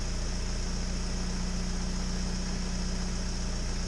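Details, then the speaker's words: 1998 Mitsubishi Eclipse, warmed up, idling smoothly and steadily with the battery positive cable removed; the engine keeps running, so the alternator is fine and the earlier fault was the battery. "See, this is off. It's continuing to run. Okay, good news. It was just the battery."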